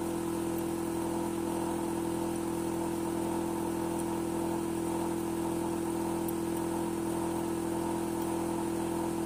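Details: Hitachi air conditioner outdoor unit running with a constant loud drone and strong steady hum, no speed change; noisier than it should be, abnormal running noise, cause suspected, not confirmed.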